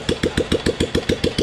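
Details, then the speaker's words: 1997 Royal Enfield Bullet (old model, CI engine) first start after full engine rebuild, silencer not yet fitted, rpm set low: sharp, even exhaust pops about seven a second at steady idle with no misses; normal idle. "अब ये कर दिया uncle ने RPM लो। अभी जब इसका silencer लगेगा ना, तब आप इसकी आवाज़ सुनना भाई, पूरे इंजन का काम हुआ था इसका। और अब ये फाइनली स्टार्ट हो चुकी है।"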